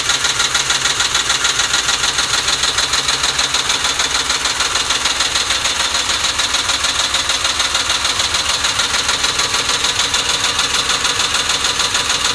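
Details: 2006 Mustang GT V8 warmed up: fast, even ticking patter about 200 per minute over a hissy top end at idle; rough idle after warm-up, cause not clear.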